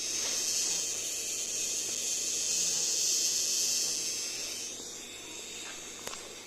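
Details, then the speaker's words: Thin, high-pitched hissing whine from a ZTE 2400 power supply at light load (about 10–20 W), gone at 30 W; caused by the transformer, does not affect operation. "ตอนนี้เป็นเวลา10วัตต์มันมีเสียง20วัตต์มันไม่มีเสียงดูสิ200,000เขาไม่มีเสียงดูมันเกิดจากหม้อแปลงสิ่งนี้ไม่ส่งผลต่อการใช้งาน"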